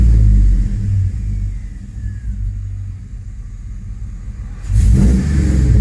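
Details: 2005 Chevrolet Tahoe 5.3L 4x4 with new fuel pump, stalling, P0174 lean bank 2: revving in reverse under load, the rumble sags and stumbles as headlights dim, misfiring under load, then picks back up.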